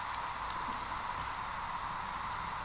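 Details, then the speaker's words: Laptop hard drive (232 GB) connected through an external enclosure spins up with a soft, steady whir and thin high tone, no clicks or scraping; the computer detects it and the files are accessible: normal hard drive spin-up. "So let's turn it on and hopefully it'll spin up. Oh my goodness! There it is!"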